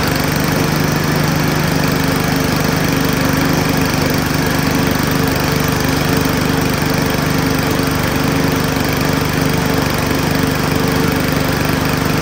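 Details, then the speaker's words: Power Smart mower running: hard, repetitive banging about three to four times a second, knocking badly when cranked up; blown gearbox with a worn key and loose pulley. "man that thing is banging like crazy what in the world man when this thing cranks up it's knocking its butt off"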